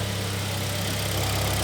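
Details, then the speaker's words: Hyundai ix35 G4KD petrol engine after rebuild for heavy knock hot and cold (scored cylinders): steady smooth idle heard from outside, no knocking or tapping, oil burning off exhaust manifold. "работает ровно никаких посторонних звуков стуков ничего нет"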